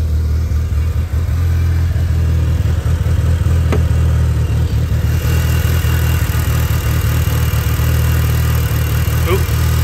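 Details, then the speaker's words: Mitsubishi Evo 8 RS 4G63 idling smoothly with a steady low rumble and no ticking or exhaust puffing. This follows a compression test on all four cylinders and new spark plugs replacing worn ones; the engine runs nicely. "yeah car seems to run really nicely"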